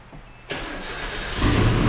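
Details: Nissan D21 Hardbody truck after starter replacement, freshly charged battery: short crank, engine catches at once and settles into a strong, rising idle; new starter and start healthy.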